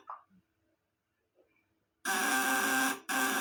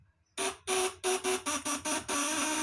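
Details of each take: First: 1 kg 200 W 12 V C200 shock unit on bench test: a steady, even buzz in short bursts as the platinum contacts chatter cleanly under full lamp load. The 200 W maximum is reached, and tightening the contacts further adds no power. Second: 1 kg 1000 W unit on 24 V: a choppy buzz cutting in and out in uneven bursts, then settling to a steady drone. The lower vibrator (platinum) contact is still loose and is tightened while running.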